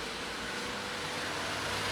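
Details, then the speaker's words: 2000 Honda Civic LX, overheated, running rough: key on, engine off, AC on; steady airy whirr of the AC condenser fan spinning up evenly, no ticking or scraping; normal condenser fan operation. "And sure enough, that condenser fan is working."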